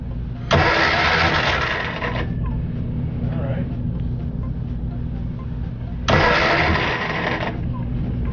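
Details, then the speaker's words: 1966 Austin Healey Sprite cranking with spark plugs out to build oil pressure after Mystery Oil treatment: steady whir with a coarse, uneven grind in two bursts; starter sounds rough, cause unknown. "right sounds like the starter sounds like crap"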